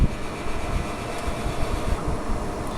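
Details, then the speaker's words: 2004 Englander 25PDVC pellet stove auger motor, after oiling and greasing the bearings to cure a groaning strain: a steady low hum with no labouring under the fan whoosh. Not drawing excess current; normal. "a motor sounds much much better it's not drawing any excessive"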